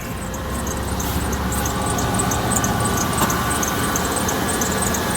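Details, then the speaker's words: 2001 Dodge Ram 1500 with failed third gear: harsh running noise with a thin high squeal at startup and while running, probably from the belt drive; belt tensioner already replaced, idler pulley and possibly serpentine belt to be changed next. "nasty squeal when you start it and when it's running, so we're gonna go ahead and change the idler pulley, maybe the serpentine belt, see if that fixes it."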